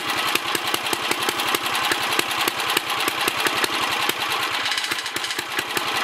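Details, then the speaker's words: 1964 Sears Suburban 600 single-cylinder running again with sharp popping about four to five per second, slightly ragged but settling; sediment bowl leaking, likely needs gasket; owner suspects carburetor needs cleaning and adjustment. "little Sissy Blue runs again. It kind of sounds like she's straightening out a little bit."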